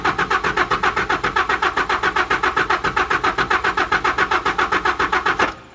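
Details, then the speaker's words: 1992 Mazda B2600i extended cab, original engine with 183,000 miles: even cranking at about four compression strokes a second that never fires, then the starter stops. Oil light goes out while cranking; owner suspects a dead electric fuel pump. "Actually, the gas gauge did go up a little bit, so it kind of confirms my worst nightmare suspicion. Yeah, the gas gauge is going up, which probably means the fuel pump is quit."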